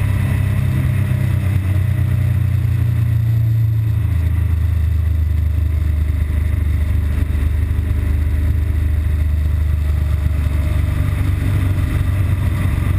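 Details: BMW R1200GS Adventure boxer twin filtering through traffic before its intermittent stall and rough-idle fault appears. A steady, even thrum holds through light throttle with no misses: the bike runs normally at this point.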